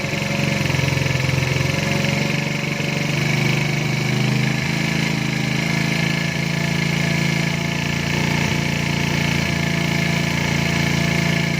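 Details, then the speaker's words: 110cc engine after carburetor setting, screw opened to 2.5: smooth steady idle at one even speed, no hunting or stumbling; carburetor set right, idle stable. "Dah maintain kan. Ni aku buka sampai 2.5 je. Dah maintain."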